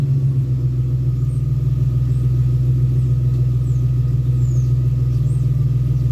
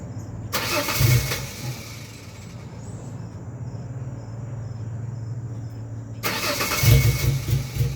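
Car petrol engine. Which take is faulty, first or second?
second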